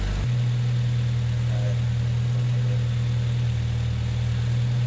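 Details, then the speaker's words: 1993 Honda Accord CB7 with an H22A, with a balance shaft delete, idling after a power steering pump swap. A steady, even idle and smooth low hum with no pump whine, groan or squeal; healthy. "Anyway, this is what a power ser pump should sound like. Sounds great. No leaks, no line, no noise."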